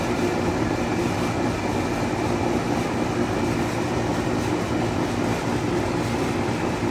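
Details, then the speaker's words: 2003 Carrier 38CKC 3-ton AC condenser, Bristol reciprocating compressor, high-speed fan with 18-inch three-blade galvanized Revcor blade: steady deep compressor hum under loud even fan rush, no knocks or rattles; normal running. "it has a really loud fan because the motor spins at a very high speed and it also fires up pretty quickly too as you're about to see in a few moments"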